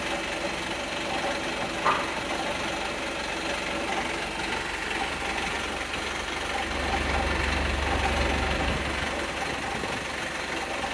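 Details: Volvo B5TL Euro 6 diesel bus idling with an irregular light knock about three per second over the steady rumble; cause not identified.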